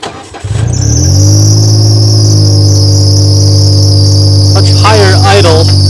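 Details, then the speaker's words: 2012 John Deere Gator 825i that would not rev past 4000 rpm, restarted after repair work: idle down to 1200 rpm, constant high thin squeal from the rear over the idle; source not confirmed, exhaust leak also noted. "We still got the squealing in the back. Idle come down to 1200."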